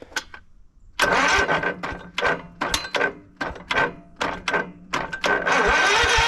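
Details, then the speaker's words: 1989 Craftsman riding mower, cold, choke on, on a jump pack, gives repeated starter cranking bursts and never catches. Crank-no-start because the fuel shut-off valve was closed. "ah look at that right there knew something wasn't right fuel shut off was on or was off"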